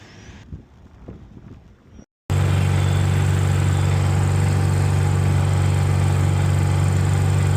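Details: New NPS inverter generator on a 2025 Alliance fifth-wheel RV, after the clogged carburetor was cleaned with carb cleaner, soaked about an hour and reinstalled: after a brief pause it fires and holds a strong, steady hum; normal running.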